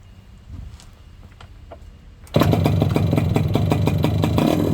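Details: Yamaha YB100 two-stroke on the old standard exhaust before replacement: quiet start, then harsh, loud crackling bark on quick revs; pipe rotted through with holes, no baffle and no back pressure.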